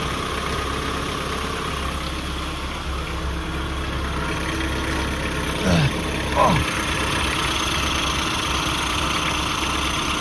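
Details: Nissan D21 Hardbody after AC pulley replacement, at idle and on a rev: a steady, even idle with a smooth low hum and no squeal or chirp from the belt.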